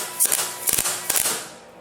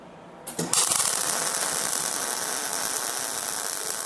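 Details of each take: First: MIG welding a suspension link bracket on a 1962 Jeep Willys at about 70% setting, wire around 2 m/min: sparse, spaced-out crackling pops instead of steady sizzle; wire feed too slow, current drops, wire melts before touching the piece. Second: MIG welding the suspension link brackets on a 1962 Jeep Willys project: the arc strikes and settles into a steady, even crackling sizzle, showing the wire speed is set right.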